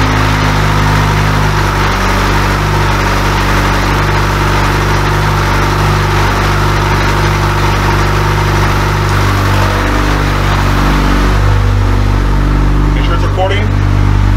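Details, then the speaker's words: AWD Honda Civic with rebuilt K24 engine and sequential gearbox in neutral, just after its first start following the rebuild: loud, steady, even idle with firm low rumble, no knocks or misses; normal idle. "uh man it sounds good and uh next video we're gonna go do some some rips"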